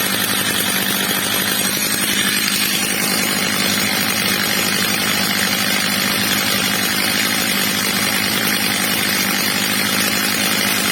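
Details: Old, well-worn Stihl MS230 chainsaw after replacement carburetor and clutch springs, carburetor screw leaned slightly, max revs set a bit under about 14,000 rpm: loud steady high-pitched buzz at constant revs, no surging or sputtering; clean even top speed.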